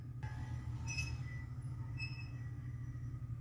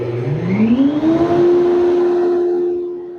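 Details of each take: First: 5hp dust collector after refurbishment: steady motor and fan hum with a faint thin chirp about once a second, not present before; intermittent squeak, owner suspects something knocked loose or a bearing. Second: 5hp workshop dust collector after a refurbishment, first test following an earlier squeak: the motor hum climbs smoothly as it spins up, then settles to a steady, even tone with no squeal or rub. Normal startup.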